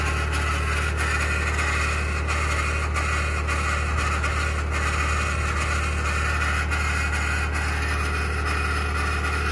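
Cold-start idle has a rough, gravelly grinding running through a steady low engine drone; the source can't be pinned down by ear.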